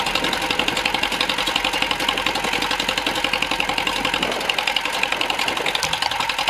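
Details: John Deere MC crawler, fuel system and ignition rebuilt, points cleaned with sandpaper, first start in a year: steady, even popping beat about 220 per minute with dry clatter; small engine running normally.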